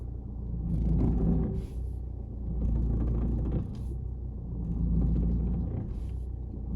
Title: Audi A4 noisy when turning (solved)